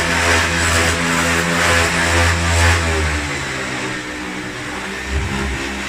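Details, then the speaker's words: Rare refurbished late-1980s Hoover vacuum, made in Mexico: as soon as the hook goes on, the motor makes a loud low droning hum with a wavering throb that settles after a few seconds. Something is wrong, cause unknown. "But as soon as that hook goes on, it makes that noise, and I just haven't. Yeah, there's something squiffy with that as well."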